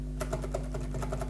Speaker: now if you try to press you see they move together